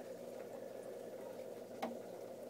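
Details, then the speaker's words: Petco 100W submersible aquarium heater in a chilly basement, holding temperature: faint steady hum with occasional sharp metronome-like knocks of varying loudness; cause not identified. "the concern i have is the knocking noise i was cleaning some stuff up from a project in the basement and where this tank is and you can hear an audible knock almost like a metronome"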